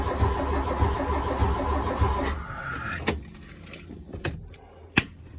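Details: 1983 VW Golf GTI MK1 that sat about 20 years in Arizona, first attempt to start it. Steady starter whirring with regular compression beats for a couple of seconds, then it stops and never catches; cranks but won't start. Distributor cap and rotor were later found corroded.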